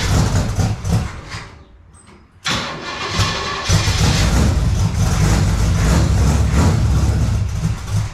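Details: Car mostly factory apart from some engine components, on new headers and new exhaust: starter cranks and catches, then settles into a deep, steady, even exhaust rumble; normal start and idle.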